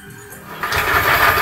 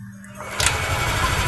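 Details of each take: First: Yamaha Aerox scooter with rough engine noise, CVT belt disconnected from rear pulley so wheel not driven: coarse, gritty idle rumble persists, showing roughness is inside the engine; later fixed by replacing camshaft bearings. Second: Yamaha Aerox scooter after replacing the camshaft bearings that caused its rough noise: short crank, then a smooth, even, quiet idle with no knocking. Normal idle.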